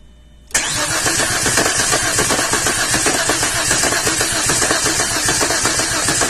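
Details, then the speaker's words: 2004 Chevrolet Epica being cranked by an assistant without starting. The cranking rhythm is lopsided, with one stroke lighter than the rest. Compression problem; waveforms suggest more than one cylinder has low compression. "now you can hear by the way it sounds when it's cranking that that there's a compression problem"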